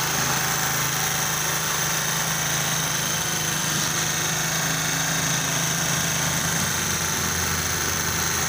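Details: Honda CD 70 (70cc) motorcycle engine after timing chain noise repair, idling smoothly and evenly with a soft steady hum and no chain rattle or knocking.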